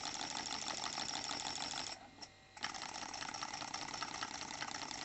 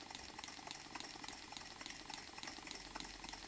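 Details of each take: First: New Stuart D10 twin steam engine on compressed air at 500 g, both cylinders fed; injected air also escapes from open drain cocks, blowing a bit more without disturbing running; quick light chuffs, fairly even apart from a brief pause, normal. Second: New Stuart D10 twin-cylinder model steam engine run on compressed air: wet hissing chuff with soft blop-blop gurgle almost twice a second, caused by slide valves and exhausts deliberately flooded with oil.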